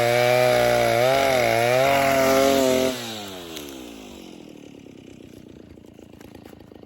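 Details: Vintage 1960s Stihl 08S chainsaw, close to 60 cc, with chain brake, cutting dead ash firewood: loud steady high-revving cut dropping cleanly to a smooth even low idle with a regular putter; runs good, normal cutting and idle.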